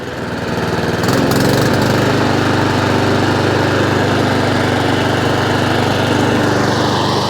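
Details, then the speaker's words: Honda IZY 19-inch petrol lawnmower after carburettor fuel-leak repair and service, revs raised slightly via governor arm after earlier hunting/surging; picks up and settles into smooth, even buzz at constant speed without surging: normal running. "also just turned the revs up slightly as well by adjusting the governor arm I have got a video on that as well so it sounds better the last time it went idle"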